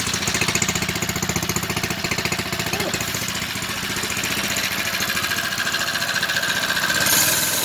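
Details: 79cc+ four-stroke motorized bicycle, first start with new homemade stainless steel exhaust: quick even putter holding a steady idle with a crisp exhaust note; healthy, normal idle.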